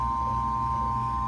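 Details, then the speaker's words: Marine Air boat AC system with high-pressure faults, seawater pump checked: steady high whine over low motor hum, never wavering; pump whine is normal. "now my pump down here you can hear it's whining that's normal"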